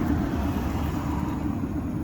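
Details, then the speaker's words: Atwood RV water heater gas burner in a truck camper: a steady, deep, jet-like roar, likely because the air mixture is off. Adjusting the air shutter, fully open, makes it sound much better. "And so that's the sound, so we can adjust the air to make it not so loud."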